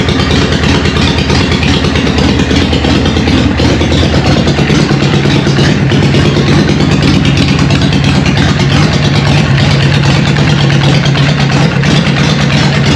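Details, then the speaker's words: Newly built Harley Evo chopper on first start, choke on, in neutral: loud, lumpy V-twin idle about three beats a second through open pipes, holding steady without stumbling; healthy idle. "How good does that sound? What do you reckon, John? What? Fucking loud. I am wrapped."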